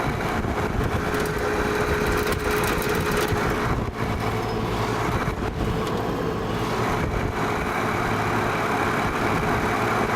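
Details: Vintage Penncrest (Lakewood) box fan on high speed: steady whirring hum with a faint constant tone persists; worn rear thrust washer, quieter tilted down, noisier tilted back.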